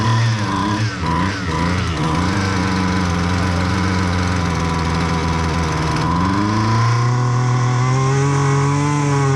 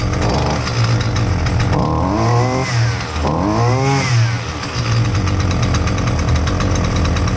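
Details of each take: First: Husqvarna 128L string trimmer that would not start because of flooding, run after the carburetor was replaced: it settles from a wavering idle to a steady higher buzz that holds even with no stumbling, running properly. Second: Husqvarna 128L string trimmer that wouldn't start: loud two-stroke buzz rising and falling unevenly, labouring between revs; keeps flooding, fuel pouring from the muffler, not fixable by carb adjustment.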